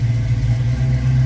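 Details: 1966 Ford Mustang, just after a cold start: deep, smooth, even V8 rumble with no knocks or misses. Normal cold idle.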